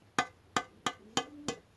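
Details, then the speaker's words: Two-stroke expansion-chamber exhaust in poor condition, tapped with a fingernail. Six taps each give a short, dull knock with almost no ring, held back as if dirt were inside: the pipe is full of carbon. "on entend ça ça tindi mais un peu mais ça c'est parce qu'il est plein de calamine"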